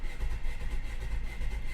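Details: 2017 Ford Escape with misfire, no power, failed coils, new spark plugs and a camshaft timing code, cranked 10 seconds during a scan tool test; lopsided uneven cranking beat, one weak cylinder with low compression.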